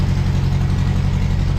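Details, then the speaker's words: Toyota crawler with a newly swapped engine on its first start, fuel pump on a remote switch: low, slightly lumpy, uneven idle with no smoke; owner suspects residual water in the fuel despite new fuel. "Sounds like there's maybe a little bit of water in the fuel, maybe."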